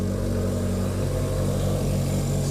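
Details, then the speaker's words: 1981 Yamaha XS1100 inline-four, cold start on full choke with a weak battery: steady, even idle, all four cylinders firing, burning clean before heavy smoke later develops. Normal idle. "there we go and not smoking yet let's just watch though it'll really start smoking it's burning clean right now sounds good"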